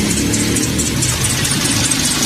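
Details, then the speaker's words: Toyota Vios at idle before serpentine belt replacement; shrill chirpy squeal over steady idle from the worn, slipping main drive belt. "nha chiếc này nó đang kêu cái dây curoa ở phần dây curoa tổng nữa các bạn Khi mà mình nổ máy lên nghe Nó kêu đi"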